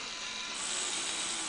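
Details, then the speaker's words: Fischertechnik pneumatic hand model: a thin, fast, chattering rattle from the small motor drive as the gear knocks against the motor. "so focus now here you hear the rattling of the gear against the motor"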